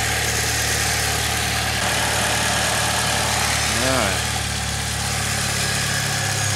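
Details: 2006 Saab 9-3 2.0T, 189,000 miles, idling after valve cover gasket replacement, before oil change; steady, even idle with smooth low hum, no ticking, knocking or stumbling; no new leaks seen, normal idle.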